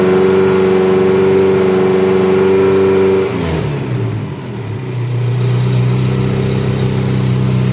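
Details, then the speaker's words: Dodge Daytona stock car with newly assembled engine, running a canned tune with EGR and EVAP deleted, more timing and richer fuel map: crisp rev falling cleanly back to smooth, steady idle, no misses or knocks; normal running. "It's just a canned tune, I think that's what they call it, but I mean, you can hear it, it's got some pop."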